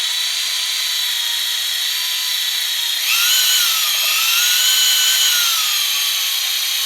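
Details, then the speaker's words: Fresh Ford 300 straight six for a 1954 International R100, before first start, oil pump primed with a drill in the oil pump drive, no gauge: steady drill whine shifts pitch and bogs as oil pressure builds; normal priming. "Now, if we want to get really fancy, we could have an oil pressure gauge hooked up to it, but you can tell when you start spinning, then it kind of bogs down a bit, then you know you're pushing oil pressure through the engine."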